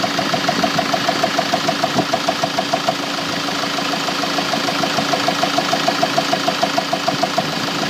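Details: Mk7 Ford Transit diesel at idle: sharp, even knocks at about 200 a minute over a steady idle, a clear rhythmic engine knock.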